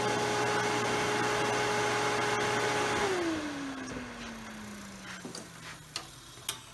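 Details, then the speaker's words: Table saw single-phase AC induction motor after bearing replacement, fan refitted: steady even hum with soft fan rush, then smooth falling whine on coast-down; slightly more noise with fan but smooth, healthy bearings. "it's a little bit more noise with the fan there but still nice and smooth"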